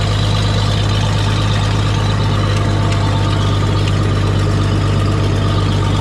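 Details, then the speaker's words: Old tractor idling at about 7:30 am: deep, steady, even idle with no knocks, misses or rattles. It had a slight miss and high idle when acquired, which cleared after running, possibly spark plug deposits. Normal smooth idle. "yep cool smooth running tractor when I picked it up it had a little Miss and high idle"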